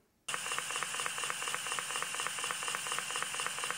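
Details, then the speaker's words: Electric Eel Wheel 5 spinning wheel: steady hiss with light ticks about twice a second as it spins; a moulding seam on the flyer rubs the darker plastic housing, causing this sound or a light knock. "basically when when this is molded there's this tiny little seam here and that can rub on this darker piece of plastic and it creates either this sound or sort of a little bit of a knocking sound"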